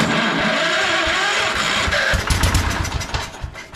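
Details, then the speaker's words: Old project tractor with a sticking choke cable, cranked on starting fluid with the throttle up a little and choke applied: ragged firing pulses about three a second that catch briefly and die away; stale fuel, fires only on starting fluid. "oh I heard a fire hey hey I believe she'll run all right"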